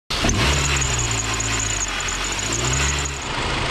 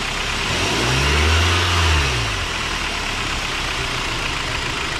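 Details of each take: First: Cold start: a thin, steady high squeal rides over the idle for a few seconds. It typically lasts 30 seconds to a minute until the engine warms, and sometimes returns around 2,000-3,000 rpm. Serpentine belt squeak; the fix shown is dielectric grease. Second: Car engine starting, revving briefly and settling to a steady idle after dielectric grease was applied to the serpentine belt: no squeak or squeal. Before the fix it squeaked for the first 30–60 seconds cold and at 2,000–3,000 rpm.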